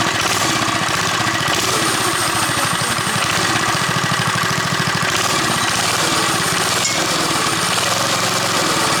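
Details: JCPenney Bird minibike small single-cylinder engine after choke and a slight carburetor screw adjustment: even, steady chugging idle with regular firing pulses, no misses or knocks; healthy idle.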